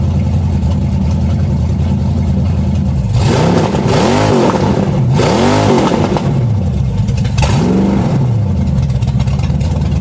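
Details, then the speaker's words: 350 V8 in a 1937 Dodge Brothers, first start after correcting firing order: catches and runs strong, revs swinging smoothly over a steady lumpy idle, no misses or knocks; idle a little low, timing unverified, carburetor unadjusted. "Idle set a little low. Don't know if the timing's right. I just played with it some, but it sounds good."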